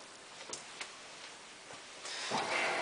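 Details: Hotpoint Ultima WT960 washing machine starting a 60° cottons test wash with a 7 kg mixed load: a few faint clicks, then a steady rising hiss as water fills; normal programme start.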